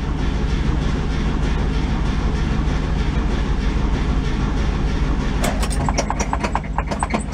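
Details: 1966 VW split-window bus, found in New Hampshire, off the road since 1995, on a weak battery: sluggish uneven churning at roughly four beats a second that never catches; slow cranking.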